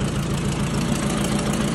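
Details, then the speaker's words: 1956 Ford 800 tractor from auction, new clutch and carburetor, sat outside about a year, just started: even, low idle with a steady pulse, no dying or hunting; holding a healthy idle. "we got a runner there boys might have been hard to hear the Koda there but he's pretty quiet"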